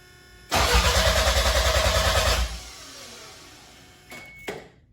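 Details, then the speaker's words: 1993 MR2 with a 3S-GTE Gen5 engine cranking on the starter with a fuse pulled and the intercooler fan unplugged. Quick, even chug with no firing and no drag or scrape, and the fuel pump can be heard: healthy cranking. "Alright, sounds healthy."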